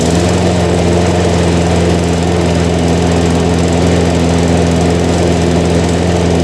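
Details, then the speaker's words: Harbor Freight 173cc mower engine with John Deere self-propel pulley, oil changed 2-3 weeks ago: steady even drone at lowered throttle, no knocks or misses; small oil burn at startup blamed on tipping; running healthy. "I really like this engine. I haven't had any issues with it."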